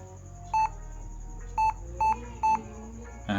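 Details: Laptop powers on with no display and repeats a clear, mid-pitched, long-drawn beep, caused by a dirty RAM module covered in dust; the laptop had worked in the daytime but would not start in the evening.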